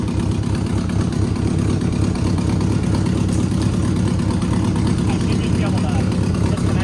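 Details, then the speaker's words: Abandoned Subaru 2.5 RS, sat almost 20 years, first start on old gas with open headers and no exhaust: loud, raw, uneven bark but no knocking; engine idles acceptably. "Dude, it runs. It doesn't knock. But mine is good. It's running on that gas."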